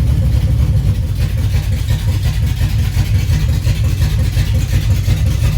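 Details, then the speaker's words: 1976 Chevy C10 with a 400 small-block V8, performance cam and new dual 3-inch mandrel-bent exhaust: loud, deep, lumpy, choppy idle. Owner suspects the driver pumping the accelerator pump shot is partly flooding it; not confirmed. "I can actually hear the cam oh it does sound pretty good choppy"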